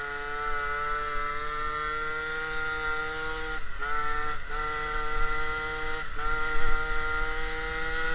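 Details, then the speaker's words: MBK 51 scooter, Malossi G2R 50cc two-stroke, Giannelli Sport exhaust, Dellorto PHBG 19 carb, air filter replaced by Ø60 venturi: louder, harsh open induction roar over a buzzy drone; jetting up 5 points seems insufficient, mixture still lean. "Bon, rouler sans filtre, ça fait quoi? Alors, déjà, ça fait plus de bruit. On l'entend bien sur les vidéos."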